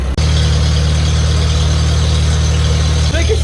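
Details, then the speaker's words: Farmall tractor started after sitting a long time; steady low idle with a slight rise and fall in speed, mild surging; owner calls it a little surgy and notes a previous owner, who was going to pull it, may have tweaked the governor; cause unconfirmed. "It's always been a decent runner for me. It really has, you know. I mean, a little surgy."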